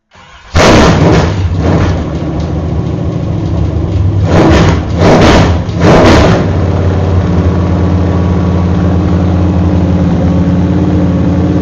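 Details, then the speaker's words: GM Performance V8 crate engine on open headers, run before going into a race car to check for leaks: cold start flares up, a few sharp blips, then a deep even lope with no knocks or ticks; healthy engine. "So, and my neighbors haven't heard a good healthy V8 running with open headers for a long time, so we're going to give them a treat today."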